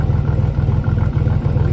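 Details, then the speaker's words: Salvage Cadillac Cimarron with a 2.8 V6, possibly 29,000 miles, idling: a deep, rapid puffing chuff under the engine note. Owner says it definitely has an exhaust leak; a slight misfire is also suspected. "you hear it definitely has an exhaust leak i just noticed that"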